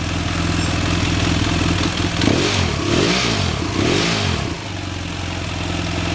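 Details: BMW F800 twin with the new mechanical cam chain tensioner correctly adjusted and locknut set, engine running. Revs up and drops back cleanly several times, the note rising and falling smoothly with no rattle; the engine sounds healthy.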